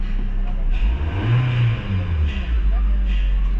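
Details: Kia Rio, after technician repair of a no-start where the check-engine light did not appear at ignition-on, computer box and battery reinstalled: engine picks up cleanly on a throttle blip and returns to a steady idle, no knocks. Normal revving.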